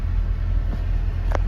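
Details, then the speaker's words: 1988 Ford Ranger XLT with a claimed 54,000 original miles, just started cold with no warning lights: a steady, even low rumble at about 1,000 rpm fast idle with no knocks or misses, expected to calm as it warms. The catalytic converter rattles faintly. "okay so let's start it up all right no warning lights idling at a thousand rpms"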